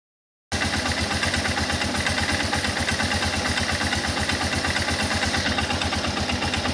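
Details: Guerrero 250 ATV single-cylinder: quick, uneven mechanical clatter over the exhaust beat when accelerating; cause unclear.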